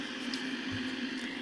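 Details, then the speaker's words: Philips BX626 tube radio after capacitor replacement and a rewired front-end coil continuity fix: steady normal hiss with a faint hum and no station, reception still very weak. An IF can alignment at 452 kHz came next. "normal radio hiss as we'd expect it but it was still very weak"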